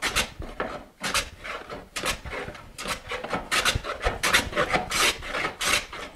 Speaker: for instance I have a cup here so I can hear the plane cut as it enters the board no cut in the middle and a cut on the far